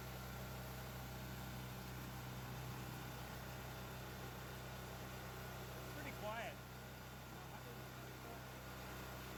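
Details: New Firman generator, first run after assembly, oil fill and fueling; even low drone with steady hum, no knocks or surging; normal running.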